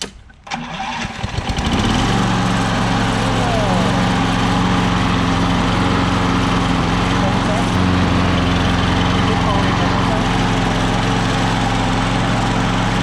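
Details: Craftsman electric-start self-propelled lawn mower, previously would not start or stay running, started with key while holding control down: engine fires after a brief start, then settles into a steady, even drone at constant speed; starting and running normally.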